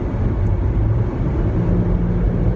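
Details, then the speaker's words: 2017 Jeep Grand Cherokee Limited, 3.6 V6 VVT, 8-speed automatic, 265/60R18 all-season tires, in cabin at 110–112 km/h on highway: steady low roar, tire noise barely heard, mostly wind noise as if something leaks; excessive wind noise. "但是这个风噪跟胎噪，听"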